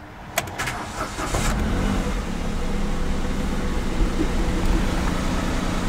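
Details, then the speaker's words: Kia Picanto after dealer repair of an engine rattle: brief crank, then a smooth, even idle with no more rattle or knock. "no more rattling that's a good sign sounds good now sounds a lot better"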